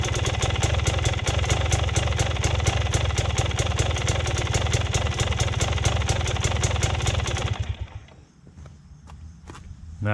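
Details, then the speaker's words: Cold start idle on a motorcycle (TPI) before an easy-idle mod: slow, uneven loping thump that sounds ready to die; idle set too low, causing stalling at slow speeds in gear and hard starting in gear. "you can just hear the idle it's a cold start it's gonna idle a little bit lower but this bike does idle pretty damn low and that's the reason for stalling out at slow speeds in gear"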